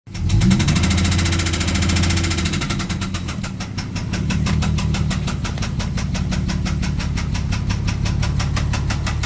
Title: MK4 vr6 jetta spun bearing